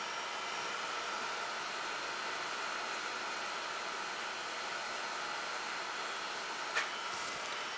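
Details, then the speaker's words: Surface grinder cutting aluminum at room temperature with a ceramic and aluminum oxide mix wheel; smooth constant high hiss with a faint steady tone, no chatter or squeal; wheel cutting cleanly and cool. "it's room temperature it's grinding real nice and cool"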